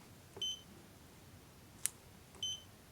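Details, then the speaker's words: DM40C 3-in-1 multimeter in diode-test mode on a 1N4148 diode: two short, high, clean beeps about two seconds apart, the meter's single-beep signal for a normal silicon diode with a 0.6 V threshold. "Quindi io se sono su un circuito, anche senza guardare col solo bip capisco che c'è un diodo. Un diodo con una soglia di 0,6 V."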